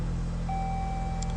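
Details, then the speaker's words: 2015 Dodge Journey 2.4L idling with a steady, even low rumble and a faint whistle. The no-crank, no-start condition was fixed by reseating a loose connector tied to the BCM. It now runs, with a check engine light on. "Of course, we got a check engine light on, but we got a running vehicle."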